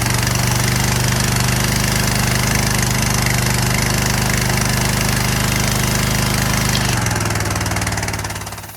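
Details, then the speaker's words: Curbside Troy-Bilt/Craftsman pressure washer after carburetor cleaning, water connected, old spray gun fitted; small engine holds a steady even drone under pump load, no misses or hunting; running clean. "I connected water to it. I'm gonna start it up for you now. Works."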